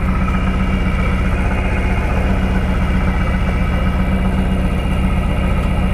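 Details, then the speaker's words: 1999 Lotus Esprit V8 with no spark on two cylinders, traced to the ECU coil outputs; restarted after swapping coil drivers. Lumpy, uneven idle at about four pulses a second with audible missing; two cylinders still dead, misfire persists. "seems to run okay now oh i can hear it i hear it missing there we go all right so now we're on a cylinder that had no spark before"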